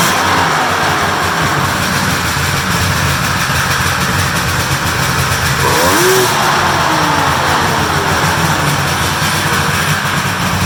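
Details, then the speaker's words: Polaris triple-cylinder two-stroke snowmobile, stock exhaust, cold start: loud steady buzzy drone at even pitch, no misses or knocks; healthy. "all right that sounds good that sounds good for a triple I like the sound of that"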